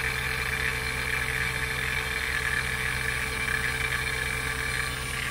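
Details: NAVAC NP4DLM cordless dual-stage brushless vacuum pump pulling an HVAC system down through about 3,000 microns, ballast about to close: a smooth, even drone at one steady pitch and level, no knocks or surging; running normally.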